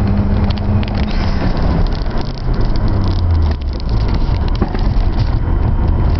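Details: Mazda RX-7 FD3S rotary: deep, lumpy exhaust note with an uneven, stumbling beat and random dropouts instead of a smooth pulse; engine misfiring.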